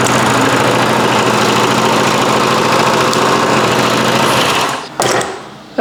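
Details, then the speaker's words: 1993 Toro Recycler II mower with Briggs engine, after no-spark repair with replaced ignition coils and flywheel, started with ether, some smoke from spilled oil: small single buzzing steadily and evenly on the bench; normal running. "Yeah, I think part of that smoke's coming from the oil that flipped out of the crankcase when it took a couple of shots with that ether."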